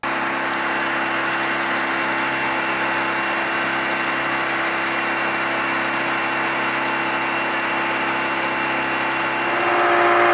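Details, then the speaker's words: Yamaha 25HP EFI four-stroke outboard cruising at 18 mph on one-third throttle: a smooth, even, quiet hum with no knocks or surging, rising slightly at the end. The engine is running healthy and unstressed. "this clip is of yamaha 25 horsepower happily cruising at 18 miles per hour running nicely on one third throttle yep one third throttle so very much quieter and not stressing the engine"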